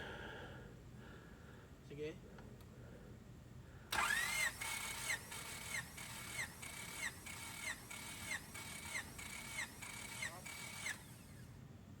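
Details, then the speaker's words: Freshly rebuilt Honda D16ZC, 9.7:1 compression, not yet run: steady starter whir with even compression strokes, no weak pulses; cylinder 4 reads 175 PSI, healthy; rings expected to seat and exceed 200 PSI after driving. "okay my colleague said let's try number one again okay so it's 175 PSI and this hasn't run yet so I'm glad to see this because it's more realistic"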